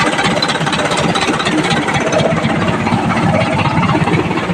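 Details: Isuzu 4HK1 diesel after fixing a crank-no-start problem: steady diesel clatter at idle, holding speed without stumbling or dying; engine running normally.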